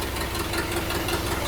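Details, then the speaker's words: Suburban with swapped Chevy V8 (Silverado motor replaced by orange engine), first start in decades: slow, slightly lumpy idle with steady low rumble; idle too low, needs raising, possibly more timing. "we need to turn the idle up I think okay why don't you just give it a little more timing"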